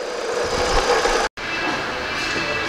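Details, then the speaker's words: VW Polo at idle, inside the car with windows closed: constant gritty whirring rattle over the engine; worn gearbox bearing suspected, gearbox to be removed to check whether the bearing plate or the clutch is at fault. "Eu espero que você tenha escutado aí esse é o barulho do Polo"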